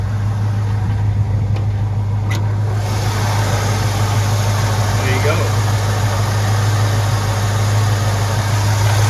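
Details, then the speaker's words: 1968 Ford LTD 390-2V V8 after rebuilding the Motorcraft/Autolite 2100 carburetor, replacing corroded accelerator pump and power valve: deep, even burble with a steady low beat and no stumbles or misses; clean, smooth idle. "So, seems to run really nicely now. No misses. You can hear the idle sounds perfect."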